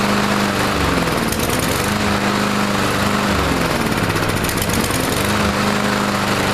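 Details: Troy-Bilt TB230 169cc four-stroke gas lawn mower running rough while Sea Foam is sprayed in: wavering, uneven drone that hunts up and down instead of holding steady. Afterwards it sounded somewhat better; a fault in the automatic throttling system was later found.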